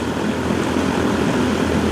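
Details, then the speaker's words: Heil unit after ICP evaporator coil change-out; external static about 1 inch against 0.5 maximum, blower motor speed lowered a little: steady, loud rush of air with no rhythm or knock; still excessive static on the return. "we still have a lot of static on the return as you could hear you hear how it started where we closed it never tries to small"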